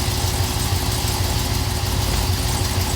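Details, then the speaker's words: Camaro idling while shifted between drive and reverse after the rear-axle thrust washer TSB fix for a rear-end click: only a soft thump as it takes up, and the clunk is gone. "It's kind of weird. The noise is gone though."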